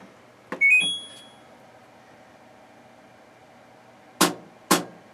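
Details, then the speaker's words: LG WM0642HW front-loader washing machine with recurring DE door error: short beeps then two sharp clicks as the door lock fails to engage despite slamming and lifting the door. "double click another double click and door error so we've tried slamming the door holding the door up a little and pushing it in"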